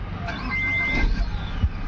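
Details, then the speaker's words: MG Hector that cranked but would not start (fuel not reaching engine) now starts cleanly after the fuel problem was fixed: engine catches and settles into a low, steady rumble without stumbling. "तो engine start हो गया। आप लोग देख सकते हो। Proper तरीके से मैनुअली हम लोगों ने इसको स्टार्ट किया बिना स्कैनिंग के।"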